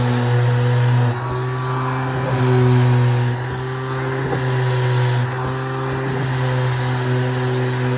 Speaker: yeah it works just like brand new that's all it was was the break you